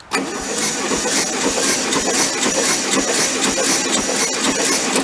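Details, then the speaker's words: 1995-parked VW Beetle convertible during compression testing with throttle held open: labored, uneven cranking at about two strokes a second, dragging; weak failing starter, slow spinning may be lowering compression readings. "Well, I don't think that starter is long for this world, but let's see if we can kind of limp it along to get something out of it."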